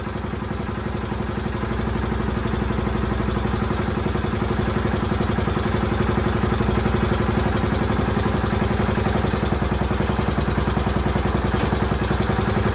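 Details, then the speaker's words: 1981 Honda XL500S single, first start after oil change, air filter install and makeshift fuel tank, started stone cold: steady, even thumping idle with no misses, knocks or hunting; healthy, possible leak heard, carburetor not leaking. "all right well she runs good i haven't had a chance to take her out on the road yet obviously but i at least know it idles and starts up pretty easily"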